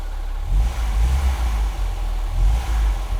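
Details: Barn-find classic Ford Fiesta with a 1.1 (1100) petrol engine, stored for years and just revived, running on choke from cold: a steady low drone and a couple of smooth throttle blips, revs rising and settling cleanly, running sweetly.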